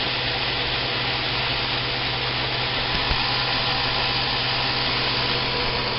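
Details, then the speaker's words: Homemade 2x72 belt grinder on a bare metal table, speed dial around half (range 1–10): steady even belt whoosh and low motor hum, no knocks or wobble, tracking well; normal running. "All you can hear is a little bit of that little motor running, and you can see how well it tracks."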